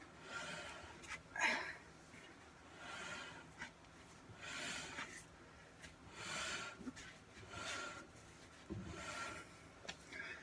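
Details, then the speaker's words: Truck rear drum brake, wheel turned slowly by hand after brake work with the adjuster backed out all the way: soft scraping swish rising and falling with each turn; shoes dragging on the drum, cause unconfirmed. "Takes two hands for me to move it, and you can hear the brakes dragging on the drum, and I've got it backed out all the way, so I'm not sure how much more I could adjust it, so I don't know. You can hear the drag."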